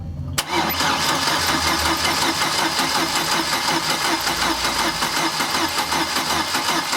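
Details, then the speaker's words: GM 2.2L engine that died after a downstream O2 sensor replacement, crank-no-start with spark present: fast, light cranking that spins freely and never fires, with an unusual rhythm. The cam does not move, confirming a broken timing chain or gear. "okay good there is no movement of that cam shaft so that confirms our call that this thing has a broken chain or a busted gear"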